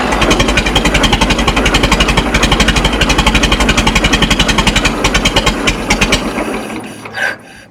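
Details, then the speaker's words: Minneapolis Moline Z tractor after rewiring, choke pushed in: heavy, slow chuffing that drags and fades as the engine labours to crank and catch; owner suspects a very slow idle or the low idle set screw on the carburetor. "Seems like it's laboring. I don't know if I have a low idle set screw or"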